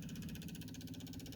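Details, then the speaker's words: 1975 Porsche 914 1.8L electric fuel pump (original pump that came with the car) buzzing with fast regular pulse, quieter once pressurized, but fuel only dribbles out; weak pump delivering inadequate fuel. "you can hear when it pressurizes it gets a lot quieter I wonder if this gauge is any good all right we'll take a look up top and see what we got yeah same thing just dribbling that's completely inadequate"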